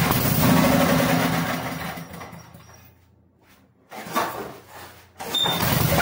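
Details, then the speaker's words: 8 hp Briggs & Stratton generator restored after 8+ years abandoned: runs strongly for a second or two, then winds down and dies within three seconds, dragged down by a faulty binding recoil starter. "Bueno amigos, ya arrancó el generador de luz, pero tiene un problema aquí en el start, o no sé cómo le llamen, en el tirón."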